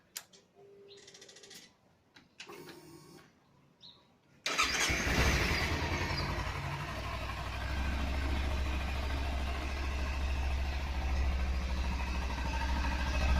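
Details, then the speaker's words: Kawasaki Z300 motorcycle: starter cranks, engine catches and settles into busy idle with fast tinny rattle over exhaust beat; dealer says catalytic converter broken. "eu vou ligar ela para mostrar o barulho que tá acontecendo"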